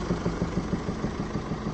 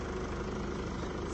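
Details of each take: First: Mercedes E-Class 2017 OM654 diesel idling: steady fast ticking knock from the top end due to rocker arms worn against the camshaft; new rocker arms, hydraulic lifters, gaskets and injector copper washers supplied for the repair. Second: 2017 Mercedes E-Class OM654 diesel, after repair of knocking caused by worn rocker arms: smooth, even idle with a steady low beat and no knocking or tapping; engine sounds healthy.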